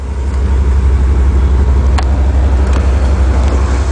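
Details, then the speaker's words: Chevy Caprice nine-passenger station wagon, one owner, 91,000 miles: a deep, steady rumble at idle, louder than stock. The exhaust likely needs a muffler at some point; the motor itself sounds quiet. "one thing about it it's probably gonna need a muffler exhaust muffler at some point you can hear it's a little bit loud"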